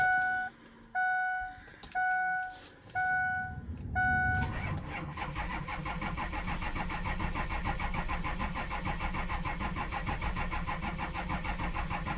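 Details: Diesel truck started after sitting a week, following recent longer-than-normal cranking. A few chime beeps, then a short crank before it catches cleanly and settles into a steady, even idle clatter.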